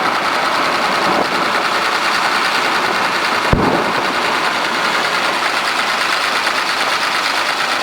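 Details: Komatsu diesel engine with low power, high vibration and white smoke: dense, fast metallic clatter riding steadily over the running engine; knocking, cause still to be found.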